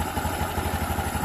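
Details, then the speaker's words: Honda Beat (LED) scooter with rough knocking noise, run with CVT disassembled and roller housing removed: soft, even idle putter with no knocks; engine internals fine, noise traced to stuck roller housing/plate. "mesin nah halus ya tem- ini halus bias ini sungguh halus sekali seperti Sutra tuh ya berarti ini kendalanya bukan di dalam"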